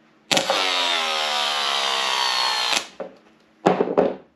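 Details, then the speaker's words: 2005 Yamaha R1 starter motor off the bike, bench-powered by jump pack with no load: whirs to a high whine, then pitch sags over two seconds as it bogs, drawing heavy current; worn starter causing hard starting, replaced. "so you hear how it just kind of dies I mean it spins okay but it just dies down draws a lot of amperage and that's what I was hearing when I was on the bike"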